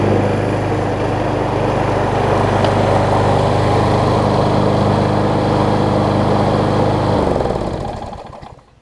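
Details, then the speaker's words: Gardenway-made Troy-Bilt self-propelled push mower holds a clean, even, steady note, then shuts off. It runs much better with a nearly new universal blade fitted: normal running. "so so you can hear it's running a lot better now and that's mostly because i have the a much better almost new blade on it"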